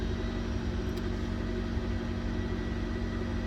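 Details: 2009 Ford Escape Hybrid with a no-start, no-crank fault, started by holding the start circuit and wiggling the ignition switch under the column covers; steady even low rumble with no stumbles or misses; running smoothly.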